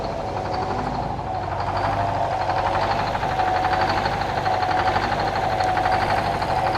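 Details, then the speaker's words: Detroit 4-71 diesel sawmill engine cold-started and warming up: steady idle with pulsing beat near four per second and high blower whine; normal cold idle. "Okay, while uh Old Blue is uh warming up there, you can hear the old girl, uh Paulson."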